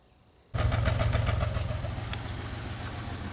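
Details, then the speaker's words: 2003 Pontiac Grand Am GT soon after upper-end engine rebuild, idle: uneven, loping beat with regular dropped pulses; misfire at idle with check-engine light now steady instead of blinking, cause not yet found. "so the light's on steady now it still sounds like it's missing but my light's not blinking now"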